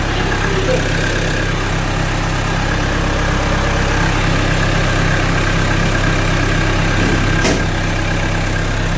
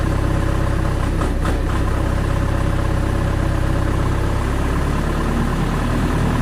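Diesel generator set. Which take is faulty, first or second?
first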